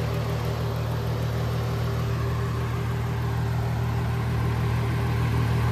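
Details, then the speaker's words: VW Jetta VR6, straight-piped, warm idle after about 10 minutes of driving: smooth even low hum, no ticking from the head; earlier lifter noise gone once oiled, normal idle. "I drove it for about let's say I want to say 10 minutes and so quiet now that sounds perfect"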